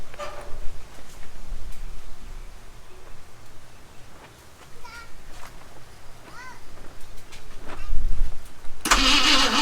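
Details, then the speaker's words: V8 Mercury Comet sat 31 years, run on carb cleaner with fuel line not connected: uneven cranking with a few ragged catches that fade out; no oil pressure showing on gauge yet. "well you heard it there it runs don't have any old pressure coming up on the gauges yet"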